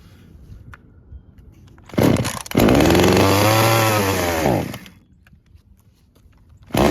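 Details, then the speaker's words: Traded-in chainsaw with a broken, loose handle and blown vibration dampener bushing, started on choke with primer: catches, revs up and settles back smoothly, shuts off, then fires again. Its on-off switch is disconnected. Starts and runs fine; normal running. "Okay, seems to start and run fine."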